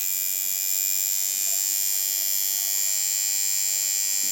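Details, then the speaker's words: Coil tattoo machine being tuned at about 6.9 volts: steady, even high-pitched buzz with no stutter or drop in speed, though not hitting hard, suited to soft shading; normal tattoo machine run. "that sounds good but sounds good it's not hitting hard enough I'm at 6.9 with this it's a little harder you could do some uh soft shading with that"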